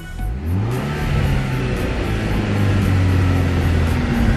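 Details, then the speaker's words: Volkswagen Golf R just after its exhaust was fixed; it previously rumbled badly. The engine revs and settles with an even, steady drone, much quieter, with no rumble or rattle. Smooth running after the exhaust repair. "it is so much smoother now before it would like do it would Rumble really bad it's so much quieter now"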